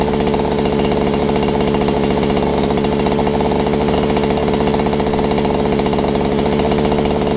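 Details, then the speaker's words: Robin EC10D Japanese two-stroke engine, first start after cleaning points, condenser and flywheel, stripping the carburettor and flushing bad fuel: fast steady buzz with a harsh rattly edge, running at high idle and noisily before throttle is turned down. "well it sounds like it was run in a bit faster sound a bit noisy but it started that's the main key"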